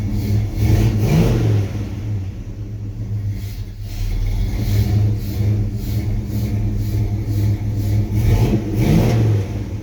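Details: V8 with Holley Sniper fuel injection idles with an uneven, lumpy beat, and two throttle blips rise only weakly: rough idle and no power.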